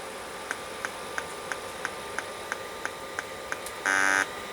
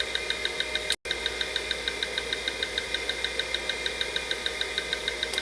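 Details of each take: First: Late-1980s full-height 5.25-inch hard drive tested on a 286 PC: even light clicks about three per second, then a short buzz; drive never spins up properly and looks dead though an identically set drive works. Cause suspected, not confirmed. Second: Late-1980s 5.25-inch full-height Maxtor MFM drive on a 286 running a read-verify surface test: quick, even ticking about three per second over a steady high hum, normal head-seek chatter; two defects found, motor transistors warm.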